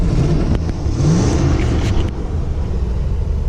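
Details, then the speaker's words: Vintage RV engine started after ignition circuit components replaced for no-start issue, timing still needs tweaking, charging 13.9 V; steady even low rumble, no knocks or misses; engine running normally. "well we've got her started which is awesome"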